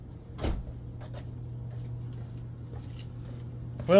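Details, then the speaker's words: Truck exhaust after temporary muffler patch made from an old license plate, phone by tailpipe: low, even idle drone with no rasp, puffing or hiss; sounds normal with muffler on. "that makes a heck of a difference sounds more like it's supposed to with the muffler on"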